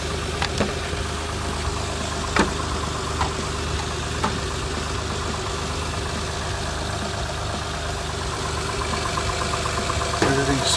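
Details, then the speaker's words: 2009 Honda Pilot Touring, 350,000 miles, just started after charging-system repair: quick start, steady low idle hum with faint ticks, no knock or belt squeal, 14 volts right away; normal idle. "All right, good quick start up. 14 volts right off the rip. That should stay that high."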